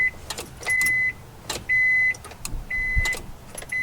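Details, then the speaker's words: Honda Civic EF no-crank: warning chime beeps about once a second over sharp main relay clicks, starter never turns the engine; starter signal wire looked fine, owner suspects the starter is gone or the main relay. "but I hear the main relay clicking I'm thinking maybe that storter is just gone"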